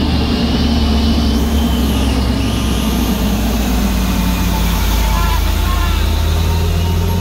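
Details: Truck on the Sitinjau Lauik road: heavy diesel drone under load with a low, pulsing helicopter-like chop like rotor blades, steady throughout; source unclear.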